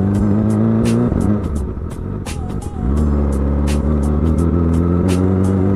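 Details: Motorbike ridden in the morning; owner contrasts a leaking exhaust with a spark plug problem. Sharp, irregular pops crack over the steady engine beat while riding, possibly a misfire or an exhaust leak: exhaust popping.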